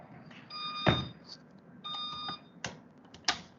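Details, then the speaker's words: Erlab Chemtrap Smart chemical storage cabinet gives its door-open alarm, two steady electronic beeps with a pulsing light, along with thuds of the door being handled. "so you can see here the pictogram two beeps that means the door is open"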